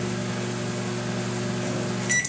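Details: Brastemp microwave making noise and not heating: steady low buzzing hum with fixed tone, then a beep; hum stopped when magnetron removed, so magnetron faulty, replaced along with diode. Loud hum.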